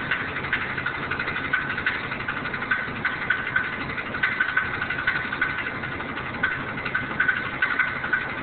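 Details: Running engine with 4L80E transmission and possible torque converter issues: sharp, unevenly spaced metallic clicks about three per second, a rattle pointing to a cracked flexplate.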